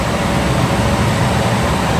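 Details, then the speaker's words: Llano V12 laptop cooler cooling a hot Lenovo ThinkBook, fan raised past 2,000 to max RPM: constant rushing whoosh of air with low hum, no rattle or scrape; fairly loud but normal high-speed airflow noise. "Medyo maingay na yung fan. Gawin natin 2.5. So medyo umaangat na yung foam. And baka mas naririnig nyo na yung ingay ng hangin,"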